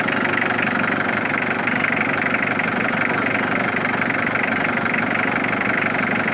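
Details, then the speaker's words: Mitsubishi Triton 4D56T turbo diesel, first start after sitting 10 years, new timing belts (balance belt had snapped) and battery, old fuel left in, oil filter not changed: even diesel clatter at idle about four beats a second, no misses or surging; normal idle. "okay I should have changed the oil filter but at least you know it starts all right"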